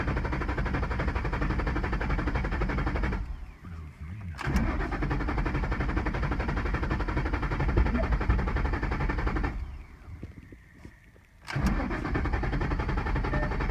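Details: 2011 Ford Mustang GT: starter spins the engine at an even cranking rate in three long tries with pauses between, never catching or firing; crank no start.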